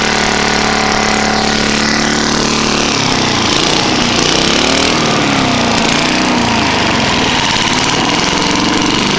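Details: Trash-picked Tecumseh lawn mower engine, first start after many years sitting: loud, uneven, rattly running, hunting in speed; worn out, bad head gasket, carb and piston, burns a lot of oil. Worn engine running rough.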